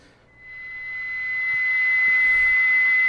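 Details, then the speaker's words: Hallicrafters SX-99 receiver during IF alignment at 455 kHz, BFO pot not yet set: a single shrill steady whistle swells as volume comes up, the harsh beat note of the unadjusted BFO. "you'll hear that beat frequency because this thing is not set yet we didn't set the BFO pot"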